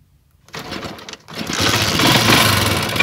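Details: Motorcycle with an anti-theft switch in a wire to the CDI, switch on: a short crank catches and settles into a quick, even putter at about four beats a second, starting and idling fine.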